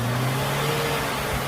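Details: Suzuki Katana (Jimny) ex-racing engine after full teardown, restored from drilled modified parts to stock; first start after reassembly. Short clean throttle blips, picks up and drops back smoothly, no miss or rattle; white smoke from before now gone, healthy free rev.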